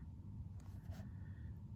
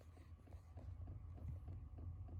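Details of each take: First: Chinese diesel heater in a camper van fitted with a quiet aftermarket fuel dosing pump, fan at lowest setting, pump placed in a cupboard: only a low steady heater rumble, no ticking from the fuel pump; pump running quietly. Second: Original fuel pump of a Chinese diesel heater in a camper van, bulkhead-mounted about 18 inches from the bed, recorded on a phone mic at startup: sharp regular tick about four per second over a low hum, carried through the van structure.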